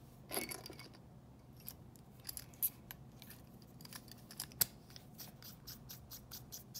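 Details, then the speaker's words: Mechanical pencil barrel unscrewed after graphite lubrication of metal threads: quiet dry ticks and faint chirps, squeak nearly gone; remaining squeak from threads not yet coated. "it's still a little squeak there but most that will be part of the threads where i haven't yet added the lead"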